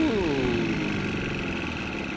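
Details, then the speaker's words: Outboard motor on a free boat in neutral: revs flare on starting, then sag toward a stall. Turning the rich mixture screw makes no difference; it nearly stalls in forward gear. Carburetor or fuel pump is suspected. "Like she gets a big blast of fuel and then just starts dying."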